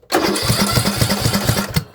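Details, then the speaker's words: Craftsman LT2000 riding mower engine cranking without starting, spark plugs in: loud rhythmic chuffing about four a second coming from the intake, not the muffler; owner doubts a blown head gasket since no oil leaks. "Definitely. So that is definitely coming out of the intake. That's like really loud."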